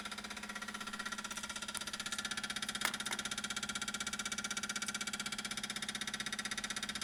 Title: 335i weird noise after engine shut off